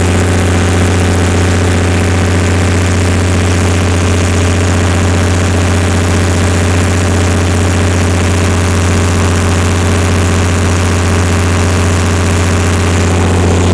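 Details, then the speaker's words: Perkins diesel generator after injection pump reinstall, recalibration and new fuel filters, load raised to 46-47 kW at 60 Hz: deep, steady drone holding constant speed, no knocks or hunting; normal running under full load. "all right now we should be pulling 45 kilowatt a little bit more actually 46 47 there you go"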